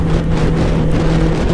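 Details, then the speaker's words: 1996 Suzuki Katana 600cc running on the road in the rain: a ragged, uneven engine drone wavers and stumbles instead of pulling smoothly; it is starving for fuel. "Gas. It's sputtering, and it's starting to rain."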